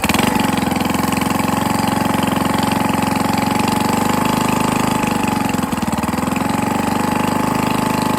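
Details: 98cc small single-cylinder engine first run after rebuild with better used parts and honed cylinder, break-in oil, intake leak suspected, carburetor needs cleaning: uneven idle with hard rapid tapping each revolution from bottom end; connecting rod knock, no longer smoking.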